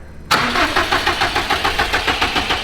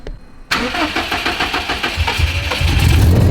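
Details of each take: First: Built turbocharged Subaru STI first-start attempt: even starter cranking about five pulses a second that never fires, because the ignition coils, cam sensors and other connectors underneath were left unplugged. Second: Built, turbocharged Subaru STI, first start after the build, before tuning and with cold-start tables still active. Cranks about two seconds, catches cleanly and settles into a smooth, slightly high cold idle; sounds healthy with no leaks.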